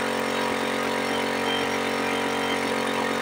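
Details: Suzuki Smash 110 carbureted motorcycle that would not idle, after idle and air screw adjustment: even, steady idle about four beats per second, no hunting or dying; idle now normal.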